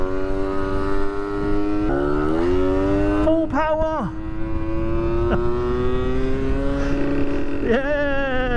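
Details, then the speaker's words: Original Suzuki Street Magic 50cc moped at full throttle. The engine screams with a slowly climbing pitch while road speed barely builds, as if stuck in first gear. The owner suspects modified or wrong roller weights and variator. "It's like it's stuck in first gear. I think this has been modified or somebody's messed about with it because it shouldn't be screaming."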